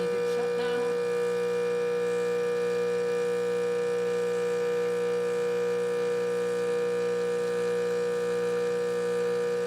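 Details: Rancilio Silvia espresso machine, final test shot after a completed full service and tune-up: a steady, even pump buzz at constant pitch throughout the shot, with no rattling, surging or straining. Normal pump operation.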